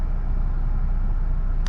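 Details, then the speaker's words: GMC Terrain idling right after battery replacement: steady low rumble, even smooth beat, no knocks or misses; normal idle, no warning lights on dash. "And there you go, it cranked right up. We have no light on the dash."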